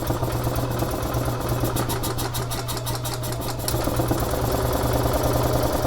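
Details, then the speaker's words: 2011 EZ-GO TXT gas golf cart, brought in as a crank-no-start, iced over after freezing rain: fires right up on the fuel already in the tank and settles to a steady, even single-cylinder chug with no misses. Fuel is good, so the tank needn't be drained. Normal idle. "that's great fired right up okay so that's good we don't have to sleep in the entire tank dry"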